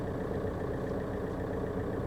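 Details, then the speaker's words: VW Golf Mk4 PD130 diesel after injector loom replacement and EGR refit, heard from inside the cabin: muffled, even diesel hum, smooth steady beat, no vibration or misfire; healthy idle. "there's there's no vibration it's it's running just like it should run"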